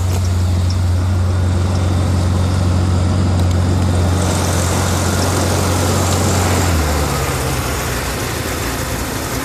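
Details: BMW E38 750i M73TU V12, started from cold at +8°C: deep, low idle hum with uneven pulsing and a sudden pitch dip. Random misfire in all cylinders shakes it at idle but not when driving, with no power loss; cause unknown.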